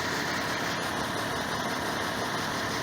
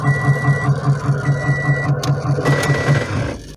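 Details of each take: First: 2006 Toyota Corolla after new CV axle fitted, front wheels lifted, rear blocked, e-brake on: smooth even idle in reverse and drive with only a steady hiss, no clunk that was there before: normal idle, no drivetrain noise. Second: 2006 Toyota Corolla, quiet idling in park, then heavy rhythmic thumping grind about two and a half beats a second when shifted into reverse; suspected transmission or CV axle, found to be a binding CV joint.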